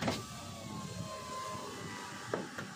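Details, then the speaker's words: 2023 Toyota Avanza G 1.5 automatic, driver's front power window after tightening the loose regulator bolt: smooth steady motor hum through full up and down travel with no clicks. Normal operation. "kita coba otomatisnya jalan sudah enggak bunyi sudah normal semua"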